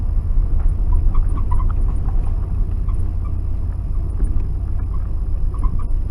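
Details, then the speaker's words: 1992 Ford F-150 4x4 with 302 V8, sat 10 years, old gasoline; steady, even low rumble with no knocks, misses or squeals, running and charging normally. "Well, there's a vacuum line off. I must have bumped it off, but I hooked it on. Seems to run good now. It's a 302. It's a good good engine."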